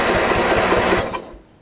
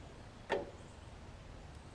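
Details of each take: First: Craftsman riding mower after replacing the starter solenoid, which only clicked before even with a new battery: even chugging about five beats a second, then stops; engine cranks freely but this mower does not run; normal cranking. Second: Craftsman riding mower, battery and starter ruled out: four sharp single clicks with no cranking. The starter solenoid outputs only about 8 V instead of 12 V, so it has failed internally and needs replacing.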